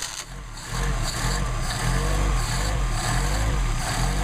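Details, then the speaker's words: Mercedes 190SL with rebuilt Solex carburetors, stone-cold start with choke and accelerator pumps at about 99° ambient: engine lights off quickly into a steady, even low rumble with no misses or knocks. Clean cold start. "All right, so let's run some carburetors here for you. Show you how I adjust them, and these are stone cold, so we'll see how they operate."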